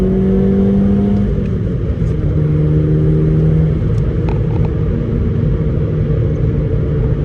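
Low, uneven engine rumble with a slight irregular stumble under steady running, consistent with a cylinder misfiring.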